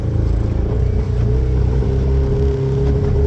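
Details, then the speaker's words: Ultranautics Jetstar jet boat engine on the water after a full-throttle pull: uneven lumpy low idle that misses and wavers before clearing; carburetor running short of fuel, fuel supply suspected, line to be run from a jerry can. "all right it's hard to hear but it's starting to miss hear that so it's running out of fuel"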